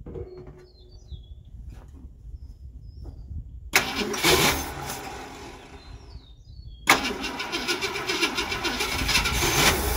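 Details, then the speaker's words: 1968 Ford Galaxie XL convertible, 390 4V with C6, first start attempt after long sitting, with chainsaw gas poured into the carb: two bursts of starter cranking, never catches. Crank no start; owner unsure the fuel pump works. "still not picking up any gas so I don't know if the fuel pump's any good and the battery's Gonna Get Low"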